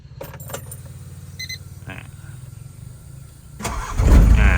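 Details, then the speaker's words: Car engine starts easily and idles with a steady, even, low thrum, no knocks or misses; handling noise is heard near the car and the air conditioning blows cold. "เครื่องฟิกสตาร์ทติดง่ายนะครับผมระบบแอร์เย็นฉ่ำนะครับ"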